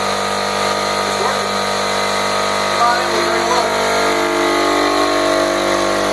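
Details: Home Depot mid-grade air compressor after replacing failed reed valves with HL4000 kit: steady, even motor drone with constant high hum, no knocking or stalling; runs smoothly after repair.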